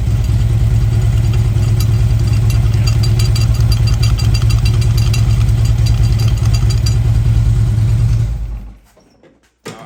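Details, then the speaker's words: Motorcycle at warm idle with a little throttle. A fast metallic pinging rattle, about twice a second, rides over the idle and appears only once warm. Cause is a loose bolt on add-on parts, fixed with a new bolt and Loctite. "That will drive you insane when you're trying to listen to music or you at a stoplight and you're hearing all that pinging."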